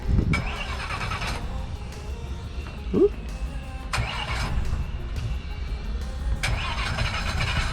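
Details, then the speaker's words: Mercury Verado outboard on a triple-engine boat that had run out of fuel on the reserve-reading main tank, cranking after a switch to the auxiliary tank. Repeated multi-second cranking bursts without catching as air remains in the fuel rail; it eventually starts. "i bet you there's still a whole bunch of air in there okay so we got all three of them started"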